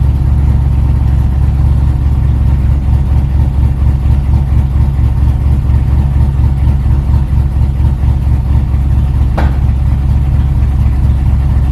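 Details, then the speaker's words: LS-swapped Chevy S10 drag truck at idle, warming up: low, steady idle with a faint regular puffing tick; a header exhaust leak is thought to be confusing that bank's O2 reading. "this one I think it's because that header leak it's just it doesn't know what's going on"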